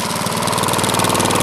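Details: Old crank-start lawn mower, refuelled after running out of gas and primed with the primer bulb: steady rapid single-cylinder putter, even firing, no misses or knocks; runs smoothly.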